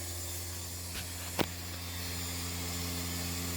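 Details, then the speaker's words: Workhorse W22/W24 chassis motorhome, new OEM in-tank fuel pump, engine off, run via a device in the fuel pump relay socket: click then low steady hum, no surging or grinding; normal fuel pump operation, later 58 psi. "when i flip the switch on the fuel pump should come on i hear it"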